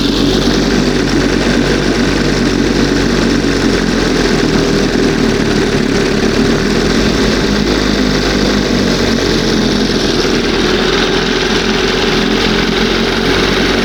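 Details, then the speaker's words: 1971 Johnson 20 hp two-stroke outboard: steady buzzy run at raised idle that never settles; owner suspects top or bottom seal or makeshift hose pulling air; high idle speed. "You know that top seal could be that bottom seal. [music] It's pulling a little something from somewhere."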